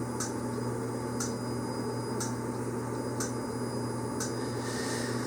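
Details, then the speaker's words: Yamaha XV1700 Warrior, which idled low and died, in self-diagnostic mode testing fuel injector number 2, which should actuate five times while a light blinks: five crisp ticks about one a second over a quiet hum; injector working normally. "So you maybe could hear that tick, tick, tick as the light was flashing."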